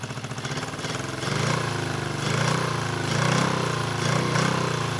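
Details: 1974 Honda CB350F, first run after sitting 20+ years, fast idle around 1200 rpm: lumpy, loping idle with dropped beats, running only on cylinders two and four; one and three not firing, suspected fuel problem rather than ignition.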